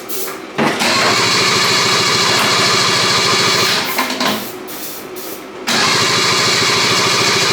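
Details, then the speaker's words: 1974 Daihatsu S38 mini truck, trying the original spark plugs: steady cranking for several seconds with no fire or catch; owner suspects the ignition timing. "nothing whole bunch of nothing I feel like it's the timing"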